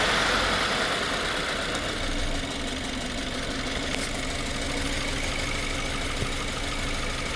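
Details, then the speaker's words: 2018 Subaru Forester 2.0 turbo, code P0304, heavy white smoke, cylinder 4 still misfiring after spark plug work: uneven idle with stumbling irregular beat and occasional skips; misfire at idle. "Oh Espérame espérame sí tenemos todavía el cilindro 4 fallando"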